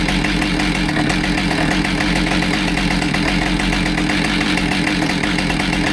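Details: Husqvarna 572XPG chainsaw after being run over, with a new bar, heated handle replaced and crank judged straight, on its test run; steady even two-stroke buzz with no wobble, knock or surging; running normally.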